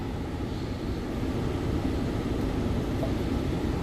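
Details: 2014 Ford Explorer after replacing a mode blend door actuator whose split case let the gears skip and click: a steady, even blower rush on floor and vent modes with no clicking. Repair successful.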